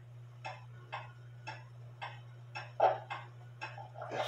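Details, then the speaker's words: Drop dial case clock, wooden plate, double fusee movement, after modifying the lever wire and shortening the suspension leader wire, hung with pendulum on: crisp evenly spaced ticks about twice a second over a faint mains hum; in beat. "sounds pretty good to me I adjusted the belt I think I need to adjust the Bell a little bit more"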